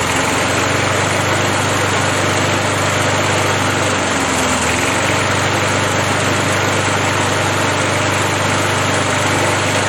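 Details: Briggs & Stratton 3.0 hp engine model 92502 with Vacu-Jet carburetor on a Montgomery Ward 20-inch mower, over 100°F day, running to get hot: steady even buzz with a brief dip; runs smoothly, hot-restart trouble blamed on the choke diaphragm.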